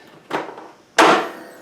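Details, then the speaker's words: Craftsman T100 lawn tractor, Briggs Intek engine, after sitting all winter, choke on: solenoid clicks, two sharp clunks, engine won't turn over; likely hydrolocked, oil wet far above full mark, not starter or compression release. "I don't think it's a starter. And you know what? I don't think it's the compression release either. I think this thing might be hydrolocked."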